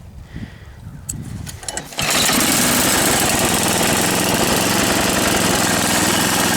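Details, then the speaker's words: 1978 10 hp snowblower, 34 years old, restarted shortly after running: engine catches after a few quiet seconds, then settles into a steady, even beat around four a second; healthy, smooth running. "this one is a 1978, 34 years old, 10 horsepower, runs like a top."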